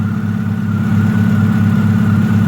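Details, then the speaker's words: Hyundai Tiburon, 181,000 miles, cold start idle: thin constant whine over steady engine hum; owner first blames power steering with a floppy belt, then says the timing belt is a little too tight. "That's power steering making that little bit of a noise there. I mean, that's cold start. That little that's power steering."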